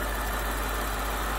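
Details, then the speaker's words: BMW 6 Series E63/E64 with N62 V8: smooth, even idle with a faint light tick from the charcoal canister vent valve, no lifter clatter; engine sounds healthy. "but yes i'd be happy with this engine so far it's nice and quiet it's sitting still as i say the only tapping we've got is from the charcoal canister fence valve"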